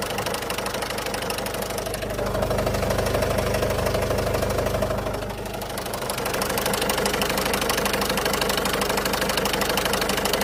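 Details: 2008 Citroën Berlingo 1.6 HDi diesel (55.2 kW) idling: steady fairly fast knock with a humming tone that shifts midway, occurring only sometimes; cause unknown.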